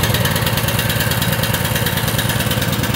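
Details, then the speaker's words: Small single-cylinder gasoline engine after diesel-in-gas fix, tank drained and refilled with gas, carburetor not taken apart so diesel remnants possible; even, quick steady chug with no misses, smoking a little; normal idle. "Wow, I didn't expect it to start right away. You can see it's smoking a little bit."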